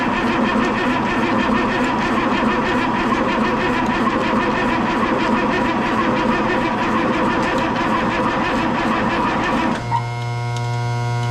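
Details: M35A2 military truck project: starter cranks the engine over at an even rhythm for about ten seconds, but it never fires or picks up speed; crank, no start.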